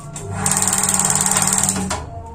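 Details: Paloma gas water heater: rapid sharp igniter ticking, about fifteen a second, for over a second then stops, with no flame; the water diaphragm (membrane) is torn, so the burner won't light.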